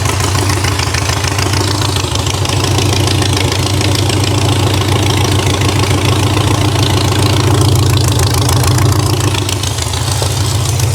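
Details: VW dune buggy air-cooled flat-four after engine and clutch reinstall: even, steady idle with firm regular exhaust pulses about three a second, no knocks or misses. Healthy running engine.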